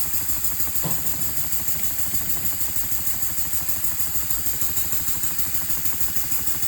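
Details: Elmer's #33 model mill steam engine on compressed air at about 20–30 PSI, first test run after final assembly: even chuff about three beats a second with constant airy hiss, air leaking at cylinder head and packing nuts, later improved by redoing the packing.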